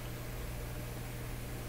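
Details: Clairtone console stereo receiver during hum repair, after adding better-filtered DC supply to early amplifier stages with extra capacitance; steady low hum under faint hiss, reduced but still audible. Residual mains hum.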